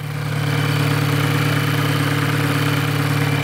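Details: Volkswagen GTI direct-injection petrol engine, well over 100,000 miles, hard-driven: busy, clattery idle with steady ticking rattle over a low hum; noise suspected from carbon buildup.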